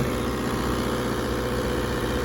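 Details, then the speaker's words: The generator on a Prevost H3-45 RV, just restarted after fuel starvation and a fuel, oil and air filter change, runs at a steady, even constant-speed drone with no misses, knocks or hunting. Normal idle. "alrighty so she just deferring now helps when you got fuel so i guess if you starve your generator"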